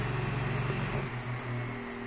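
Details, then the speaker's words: Fan on high powered by the Schumacher SJ1332 jump starter's modified sine wave inverter, 29 watts with the scope: low, steady hum and even whoosh of air, no rattles or grinding; normal running. "And I'm sure you can hear it blowing up a storm. And you can see the blades turning."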